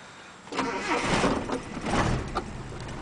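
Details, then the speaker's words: Almost 30-year-old never-rebuilt ute engine, uses about a litre of oil per 2,000 km, cold start with inoperative choke; stumbles into life surging and uneven before a shaky idle; hard starting from no choke, exhaust not thought to leak. "Check the exhaust for leaks, which I don't think it's leaking, but it's got no choke, so it's a bit of a cranky bitch."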